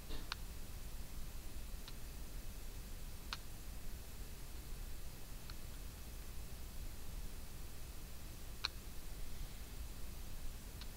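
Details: Notion Ink Adam tablet camera: the autofocus keeps losing focus and hunting, with faint, sharp, irregular clicks from the AF motor while adjusting focus.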